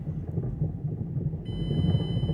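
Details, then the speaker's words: 2009 Mazda5, wheels spinning in reverse gear: low rough rumbling churn with harsh uneven grinding from the front drivetrain; no noise in park or drive. Owner thinks the transmission is shot; wheel bearing or axle also considered, unconfirmed. "That is bad. Yeah, I think the transmission is shot. That sounds really bad."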